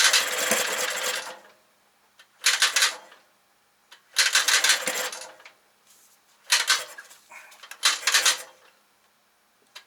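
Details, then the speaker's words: 1968 Kohler 6.5A27 marine genset, under 300 hours, carb on and fuel pump cleaned, governor not connected: repeated cranking bursts of a couple of seconds that never catch; badly flooded, plug one soaking wet, from crossed plug wires on cylinders one and two. "come on damn it down i'm guessing it's badly flooded let's take it apart see we can find out all right so spark plug number one is just glistening wet so definitely flooded"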